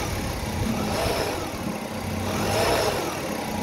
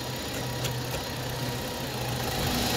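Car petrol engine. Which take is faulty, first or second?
first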